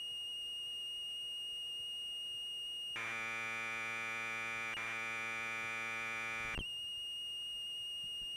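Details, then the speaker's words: Commodore 1530/C2N datasette loading a program after head azimuth alignment by ear, close enough to load programs: steady high whistle gives way to a buzzy data tone for a few seconds, then the whistle returns; clean, normal tape signal. "now some of you are probably curious what an audio tape sounds like when you play it through a commodore data set so here you go"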